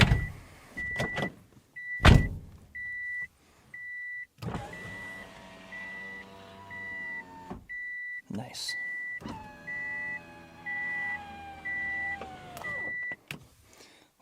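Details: Subaru frameless door window after replacing the destroyed window regulator: a smooth, steady motor hum that slows slightly as the glass climbs, then a soft seat at the top. The window closes normally, and the cabin is quieter.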